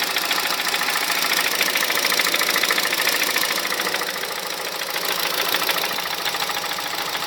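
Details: 2006 Honda Civic Hybrid 1.3 IMA at idle: sharp even tapping about three to four per second from inside the engine, silent above 2200 rpm; owner wonders about camshaft, valves, bearings, timing chain or piston slap.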